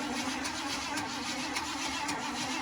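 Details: 1977 Ford truck being tried for a start, power fed straight from the battery. The starter cranks with a regular churning beat about twice a second, but the engine never catches; it cranks without firing, cause not confirmed.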